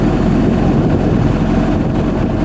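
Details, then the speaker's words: 1987 Toyota Camry LE, 4-cylinder, automatic, warm: low even engine rumble with no stumbles or misses, not a single misfire; smooth healthy steady idle. "absolutely solid steady tone yup just does its thing"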